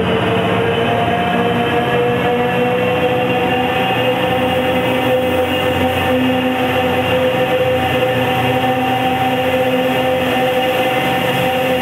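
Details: MBTA commuter rail GP40 locomotive leaving Providence for the layover: a steady mid-pitched whine over the running roar and rail noise, suspected to come from a turbo fan problem, not confirmed.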